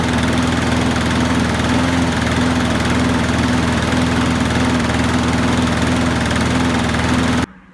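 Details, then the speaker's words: Qualcast rotary mower after carb gasket and diaphragm replacement and new Torch spark plug: even single-cylinder putter at steady speed, no misfires, surging or knocking, then cuts off cleanly; oil burning off after tipping; runs fine. "So as you can see, it started up okay. I can hear the oil sizzling off a bit there. It's been tipped and that, so yeah, it's got to burn the oil off, but it was running okay."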